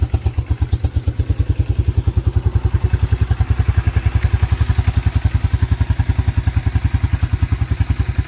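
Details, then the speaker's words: 1987 Yamaha Moto 4 YFM-350ER, ice-cold engine started without choke: steady, even single-cylinder thump at about three and a half beats a second with a deep, throaty exhaust growl. Healthy idle. "she started right off no choke ice cold engine [Music] icy cold [Music] exhaust growl back there sounds really good"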